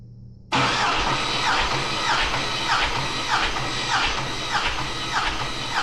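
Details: 6.2 LS engine bought on Marketplace, compression test. The starter spins the engine evenly with a steady beat on each compression stroke and no drag or stumble. Cylinders read about 220-230 psi, judged a healthy LS.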